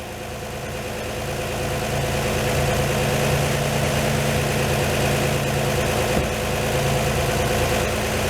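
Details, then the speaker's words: 1949 Chevy truck, carbureted Blue Flame 235 six with twin 2bbl carburetors and a hotter cam, cold fast idle about 1,000 rpm (warm idle about 600): steady, even, smooth low rumble, no knocks or misses; normal cold fast idle. "once warmed up this will idle at about 600 RPM it's at about 1,000 now"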